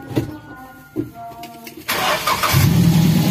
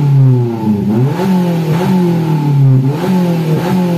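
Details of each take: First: Daihatsu Gran Max after the clogged catalytic converter was dealt with: catches after a couple of cranks and settles into a steady, even low idle, a clean normal start. RPM still tends to hang. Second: Daihatsu Gran Max being revved repeatedly. The pitch climbs and sags about once a second, sounding strained and choked, and the exhaust rattles and shakes. Cause: clogged catalytic converter.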